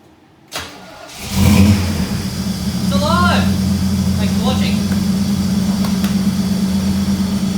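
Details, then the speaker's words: VL Calais Walkinshaw with an injected 304 5L V8 conversion, second start after the first start-up: a short crank, it catches at once, flares briefly and settles into a steady, even idle. Healthy start and idle. "Anyway, we hit the key, fired right up. Pretty happy with that."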